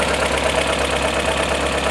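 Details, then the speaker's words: Pushrod Volvo B18/B20 engine in a 544, idling after valve adjustment with cover back on: light, quick, even sewing-machine ticking over smooth idle; well-adjusted valve rocker assembly, healthy valve train. "And you can hear the valves kind of doing their thing. It kind of sounds like a sewing machine. If you want to take a listen there. That's a well-adjusted valve rocker assembly."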